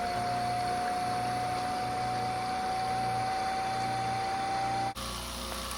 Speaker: one's overheating too. Can you hear it spooling down? Experiment failed.